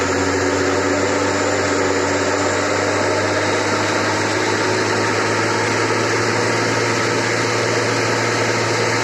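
Loud, steady rumbling roar with a low drone underneath and no knocking, typical of worn drum bearings under spin.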